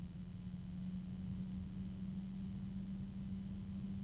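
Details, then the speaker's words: Alphacool iCyclone Aurora Lux Digital RGB 140 mm fan under review: steady low hum-whine near 200 Hz over soft rumble, alternating with higher-pitched noise; reviewer doubts it's the helping-hands holder and guesses harmonic resonance, unsure. "It's already a bit noisy. There is a high-pitched noise coming from it at this point. There's a higher pitched noise now."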